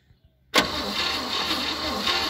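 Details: 1957 Chevrolet 210 being started for the first time since 1991, with carb cleaner sprayed into the carburetor. The starter spins the engine with a fast, even churn, but it cranks without firing. Cranks but no start.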